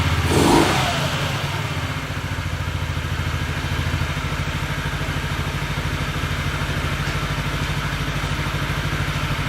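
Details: Almost stock Honda Ruckus scooter built from spare parts, first start with brake on, CVT cover left off: engine catches with a quick blip of revs, then settles into a steady, even putter.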